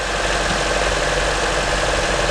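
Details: 2009 Honda CR-V K-series engine after starter replacement (starter failed; battery tested 12.4 V, jump didn't help): steady, even idle with no misses, knocks or grinding, just a smooth continuous hum; running healthy.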